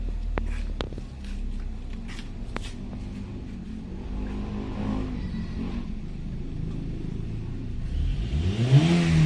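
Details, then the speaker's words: 2008 Hyundai i10 automatic after top overhaul for misfire: steady low idle then clean, quick rev rise with no stumble or miss; engine pulls crisply and sounds healthy. "Iba yung ano response oh."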